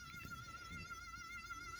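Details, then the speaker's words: 3D-printed filament-spool rotor motor running with little pull: thin, high, wavering coil whine over a soft low rumble, heard with one coil before trying another; rotor not out of balance or dragging. "but you can hear it whining on let me try another coil"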